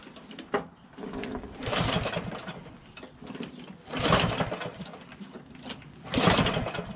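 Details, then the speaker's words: Water-flooded Lawnboy RWD push mower with broken spark plug replaced: several slow recoil pulls, each a brief whirring burst with no firing; won't start, consistent with water in the fuel, before trying starting spray in the intake. "okay it won't let's take the air cleaner cover off and the air cleaner air filter and let's spray a little bit of gogo juice in there just to see if it'll start"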